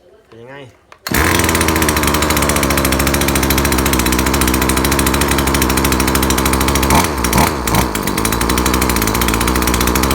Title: ซ่อมเลื่อยยนต์ เร่งไม่ขึ้น หลงทางหนักมาก